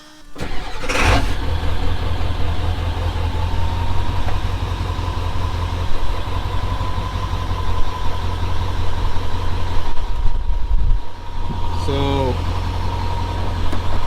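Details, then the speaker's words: OBS 7.3 PowerStroke diesel truck, owner suspects failing fuel pump slow to build pressure after running below an eighth tank: quick crank, catches cleanly, settles into steady, even diesel clatter with no stumbling or hunting; pressure up, sounds good. "got pressure it sounds good so i'm gonna let it idle for a little bit and then we'll go ahead and drive it around"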